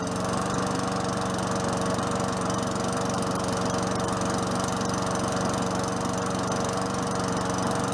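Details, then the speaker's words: Free Tecumseh 4.5 HP mower that had sat about three years, running after the carburetor and gas tank were refitted. Steady, even single-cylinder putter at constant speed with no misses or surging; it runs smoothly and sounds healthy. "it sounds good"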